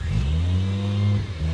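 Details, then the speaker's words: Nissan 240SX S13 coupe swapped from KA24DE to twin-turbo 1JZ from a Toyota Soarer, first start a year into the build: catches first try, settles into deep even idle, clean throttle blip rising and falling; healthy. "It started! 1 year in, bro. First try."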